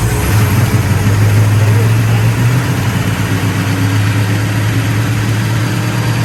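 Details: 1966 Pontiac GTO convertible V8: deep, even rumble with a steady beat, no misses or knocks; engine sounds healthy and smooth.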